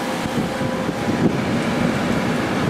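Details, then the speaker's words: 2003 GE 12,400 BTU window air conditioner made by Samsung, after cleaning, switched to high fan at about 11.4 then 11.3 amps: strong steady rush of air over a low even hum, no knocks or squeals; head pressure dropped, running normally. "Airflow out of here is incredibly strong on this unit, and we're back down to about 11.3, and it's still running on high speed, so the head pressure went down."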